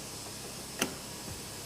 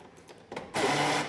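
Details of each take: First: Fiat Uno driver's door lock after replacing the lock motor, whose internal gear was damaged and had made a noise: a single sharp, clean click with no grinding or motor whir, working correctly. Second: Fiat Uno driver's door: a harsh half-second whirring grind every time it locks, from the door lock actuator motor whose internal gear is worn; the driver's window also doesn't work.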